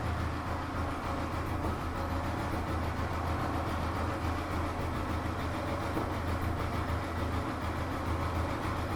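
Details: Old Royal Enfield Electra after a general service, with a metal flap added to the exhaust for the old beat and the white smoke fixed: an even, low thumping idle with no misses or knocks.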